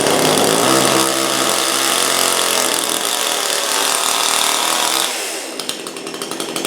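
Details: Brand-new Supmix 6250/6251 two-stroke chainsaw that at first would not start or run. It screams at a steady high speed for five seconds, then eases toward idle without stumbling. Normal running.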